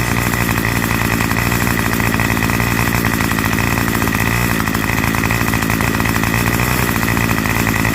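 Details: Curbside-found Craftsman 25cc two-stroke trimmer, revived with a new fuel return line and the divider piece omitted, just started and warming up: steady, fast buzzing idle without stumbling or surging; running cleanly.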